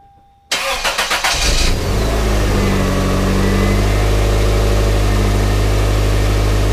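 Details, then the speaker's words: 1997 Toyota Corolla after starter repair and seal replacement: brief starter whir, quick catch, then smooth even idle; normal start and idle. "but now let's start her up and uh show you that she's working"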